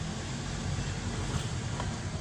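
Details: Car test drive after brake repair on damaged brake disc that had made a crunching, growling noise; slowing with only low tire and road rumble, no squeal, scrape or grind. Normal braking.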